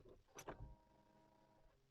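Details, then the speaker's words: 2017 Renault Clio Symbol 1.4 at key-on: a click, then a faint steady electric hum for about a second before it cuts off. The fuel pump primes normally, so it is not the cause of the no-start. "şöyle anahtarı çevirdiğiniz zaman zaten uzun diye hafif bir ses gelir Eğer o ses geliyorsa benzin kupasına bir sorun yoktur yok demektir yani benzin pompasına o benzin gidiyor"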